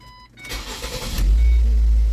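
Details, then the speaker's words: Vehicle with code P0400 and an extended crank, after replacing the EGR valve. A short crank, then it fires at once into a smooth, steady idle; the extended crank is fixed and it starts normally. "Starts right on up. Awesome."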